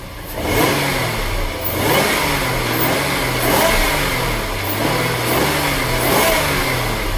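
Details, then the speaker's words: Daimler Super V8 supercharged, first start after replacing the cracked secondary cam chain tensioners with metal ones, plus new supercharger and ancillary belts and a supercharger belt bearing: revs rise and settle smoothly, with no chain rattle and no belt squeak. "I can't hear any chain noise. Sounds good to me. No supercharger belt squeak. All nice and smooth."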